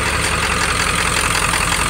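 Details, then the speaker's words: OBS Ford F-250 Powerstroke diesel, 300,000 miles, straight-piped, untuned, after lift pump replacement. A loud, clattery, slightly loping idle. Rough idle of unknown cause; owner suspects air not bled from the fuel and considers a compression test. "i might not have all the air out of it or i don't know but it runs uh it just runs a little rough at idle"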